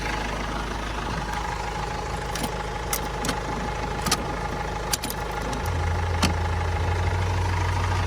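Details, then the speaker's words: Supercharged R53 Mini Cooper S, first start attempt after engine reinstall, fuel gauge at an eighth, battery light on: engine cranks sluggishly, about three beats a second, and never fires. Slow crank possibly from a poor battery connection; cause unconfirmed. "Sounds a bit slow. Just sounds a bit slow, the crank. Maybe I can get a better connection."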